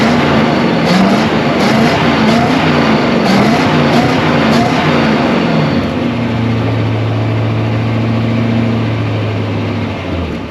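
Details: 1965 Ford Galaxie 500 project car, newly revived, with gauges showing oil pressure, voltage and coolant temperature: a few throttle blips with a crisp exhaust bark, then a smooth, even idle with no knocks or misses.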